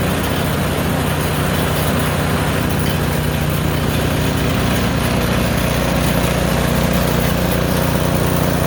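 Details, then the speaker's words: Craftsman snowblower, roughly 3 to 4 years old, running with the auger engaged, driving forward and in reverse: the single-cylinder engine putts along steadily and evenly with no misses or knocks. "I am satisfied that this thing is running."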